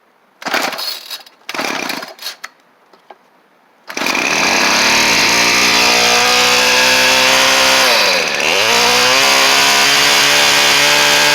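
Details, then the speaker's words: Cheap two-stroke weed trimmer after a new carb and fuel line were fitted. A few rough pull-start bursts, then it catches and holds a steady, even high buzz with one brief dip, running cleanly. "This thing starts up good, runs good, and then that head, again, is going to last you a good little while."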